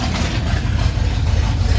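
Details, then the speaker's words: 350SX build V8 with new exhaust and cooling system, carbureted, running rough and getting warm: a deep, lumpy, loping idle that won't open up. Owner suspects excess fuel pressure, timing or a misfire; unconfirmed. "It's not actually like opening up like it should be. I'm not sure if it's because it's getting too much fuel because of the fuel pressure, or if it's because of the timing or the misfire, whatever it might be."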